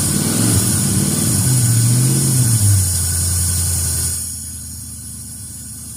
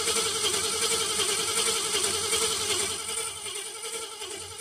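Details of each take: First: A Ford Fairlane V8 after a fuel pump swap and new coil settles from revving into a steady, even low idle with no misses or knocks, with fuel pumping plenty through the filter. It sounds healthy. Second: Ford Fairlane cranking after fuel pump swap, cleaned tank filter and new coil; 6-volt ignition and voltage regulator tested good; fast even starter whirr, about two to three beats per second, engine not yet firing.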